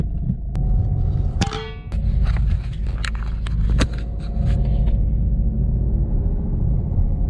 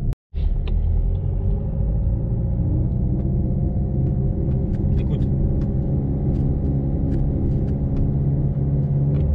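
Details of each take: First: Peugeot 307 1.6 HDi after replacing the dead lower engine mount (noise was blamed on gearbox bearing; driveshaft swap hadn't fixed it; gearbox refilled with 75-80 oil), test drive: deep even rumble, few stray clunks, no speed-related growl; driveline noise gone. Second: Peugeot 307 1.6 HDi driving: deep pulsing growl swelling with speed in any gear, gone when declutched, persisting after a driveshaft change; blamed on the driveshaft via the dead lower engine mount, which was replaced.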